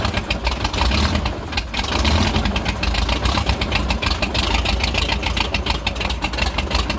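Engine settles to an uneven, lumpy idle with irregular pulses after the throttle snap; rough idle, cause unknown.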